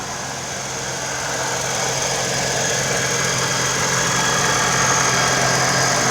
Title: 4.0L TRD Supercharger Noise at Idle (at operating temperature)